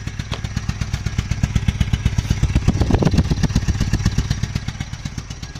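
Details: Nissan NP200 idling with heavy, regular thumping about four times a second; very bad abnormal engine knock of unknown origin, present even after one pulley in the pulley system was replaced.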